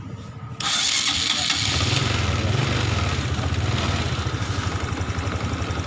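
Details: Honda Supra X 125 fuel-injected motorcycle, hard to start on the electric starter and won't hold idle; cranks briefly, then catches into a fast steady idle, starting only with fuel pressure raised to 58 (fails at the normal 42); TPS already checked and throttle body cleaned.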